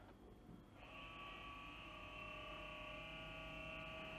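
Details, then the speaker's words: 2007 Citroën C6 2.7 V6 twin-turbo diesel, 155,000 miles, long stood, key on before engine start: steady electric pump hum with a high whine as the electric pump raises the suspension; normal, not the fault noise. "that's not the noise that's the suspension raising because when you put the key in before you've even started the engine because it's got an electric pump it raises"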